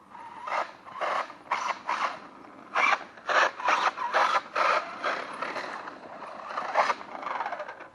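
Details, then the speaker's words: Traxxas Maxx RC truck during a jump session. Uneven bursts of ratcheting and grinding, about two a second, come from the drivetrain, with squeaking; something is slipping, cause unknown. "bruit bizarre là vous entendez ou pas voilà est ce que vous entendez le bruit là"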